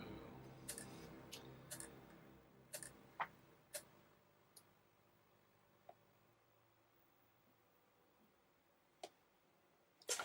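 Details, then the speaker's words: Grubby original PlayStation (PSX) running Star Trek Invasion: faint irregular ticks and clicks as the laser keeps seeking without loading; the disc was not read, likely because it is absolutely filthy. "Oh, interesting. It's not... It's not read the disc this time. It might be that the disc is... Yeah, the disc is absolutely filthy."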